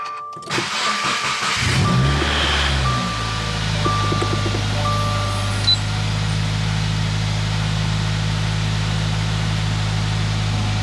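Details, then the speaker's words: 2018 Subaru WRX true cold start after intake reassembly while chasing a suspected vacuum leak (AF learning near -30 at idle): cranks, catches, settles to a steady low hum, then stalls; cause unconfirmed. "okay i don't know if i didn't plug in something but it just uh it's stalled out on us"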